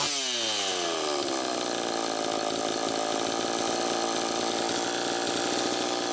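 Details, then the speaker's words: Homelite Super EZ chainsaw after crank seal replacement: it revs up and holds a high, slightly surging scream, with the idle speed screw far out. It runs lean from an intake air leak, with a bad gasket or cracked intake adapter suspected. "first take a listen to how it's running it's pretty close but one key that something's still not quite right see how far out i have that idle speed screw still screaming air leak"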